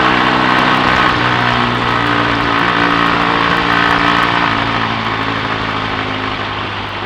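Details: BSA A65 Thunderbolt on test ride after closing spark plug gaps to cure Boyer ignition misfire under load: steady even twin beat pulling cleanly, no missed firing; normal running under load.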